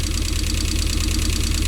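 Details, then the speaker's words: Rover engine in an MG, second start attempt after no-start diagnosis and extensive work, at idle: uneven, lumpy, stumbling low thump with smoke (owner hopes oil residue); suspects a misfire, maybe running on three cylinders; rough idle, cause unconfirmed. "might be a misfire i might be running on three cylinders here but it's rolling with some smoke smoke people smoke"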